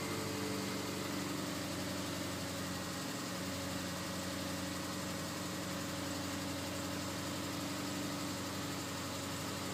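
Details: 2004 Subaru Forester XS, about 110,000 miles, cold start: lumpy uneven idle with irregular stumble; misfire from #3 spark plug fouled by oil entering the plug well, fixed by replacing valve cover gaskets and spark plug well seals.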